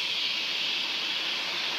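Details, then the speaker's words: Sinfin, Derby (UK) waste incineration plant heard from nearby, evening of Sunday 6 May 2018: a constant, steady high-pitched hissing squeal with no rhythm, like steam being vented; cause unknown. "ou can see it in the background it's currently emitting a consistent high-pitched squeal as you can hear like steam being vented"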